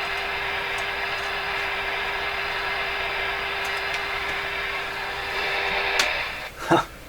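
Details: RCA A-32 Globetrotter radio listening test: steady buzzing tone over hiss cuts out when nearby soldering iron is switched off, interference from the soldering iron.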